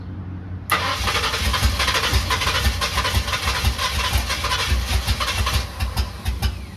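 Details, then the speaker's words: Carbureted Ford Capri project, first start: catches after a short crank, then a lumpy, stumbling uneven idle; runs rough, later traced to a 3.5 PSI fuel pump when the carburetor wants about 6 PSI. "It's running. It's moving, but it does not sound too happy, does it? It sounds pretty rough. Just got the car running. It's running pretty bad."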